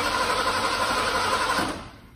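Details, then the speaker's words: 1986 Ford F-150, fuel-injected, sat 15 years, new in-tank pump fitted: engine turns over steadily under two seconds without catching; crank no start because fuel isn't getting past the failed high-pressure pump, new one about to be installed. "well we still haven't gotten the ford started yet we figured out we weren't getting fuel past our high pressure pump so we finally got a new one of those"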